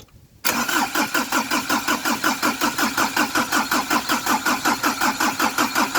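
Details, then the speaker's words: Ford Ranger after top overhaul, first start attempt: steady starter cranking under three beats a second, no catch; cranks but won't start, traced to an obstructing leaf. "tatanggalin mo yung ano tanggalin mo yung dahon baka yan lang eh"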